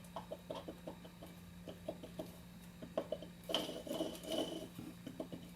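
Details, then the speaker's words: Cadillac CTS 3.2L water pump, engine off with the serpentine belt removed, pulley rocked by hand: irregular light clicks and a gritty rattle with in-and-out and side-to-side play; the bearing is worn and the pump is done. "that's bad any kind of wiggle you know in and out side to side and then this noise it's toast it's done"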